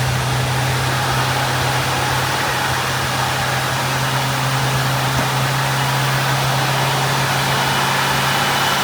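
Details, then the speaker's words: Old auction-bought Lincoln revived after decades, idling on a newly working fuel pump after adding a few gallons of gas and filling the carburetor bowls: steady low drone with a slight irregular miss, much better than before and working itself out. "Fuel pump's working. Yeah. Yeah. The this the miss is much better. Much better."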